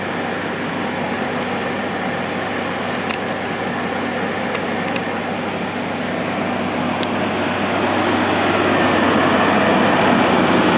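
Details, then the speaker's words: Project Chevy S10 after a Gunk motor flush, cold start after sitting two days, previously with an engine tick: even idle with a steady pulse that builds slightly, no ticking and good oil pressure; normal idle, tick gone. "you just heard absolutely no engine noise whatsoever not even not even a little bit of a tick just fires up no engine noise"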